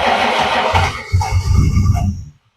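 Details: 1962 Ford Falcon gasser: low, choppy cranking for about two seconds that dies away without firing; cause not confirmed.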